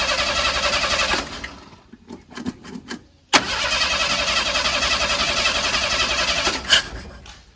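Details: 300 inline-six in an old truck, running rough with fouled plugs; after carburetor rebuild and idle screw adjustment it fires and idles briefly, then stumbles and quits, catches again and sags away; failing distributor pickup coil cutting spark.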